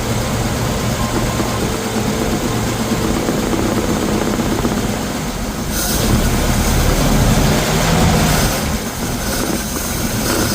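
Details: 1951 Ford F1 flathead V8, first run after sitting over 20 years, idling: steady loping rumble with even firing and a brief rev mid-clip, no knocks or misses; runs fine, an oil leak noted.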